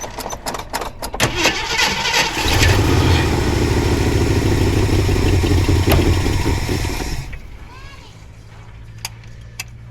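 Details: 1979 Jeep Cherokee, AMC 360 V8, sat 3-4 years unstarted; choppy cranking catches into a rough roar a few seconds, then fades and dies; won't stay running. Owner suspects low, bad-looking gas in a plastic jug tank.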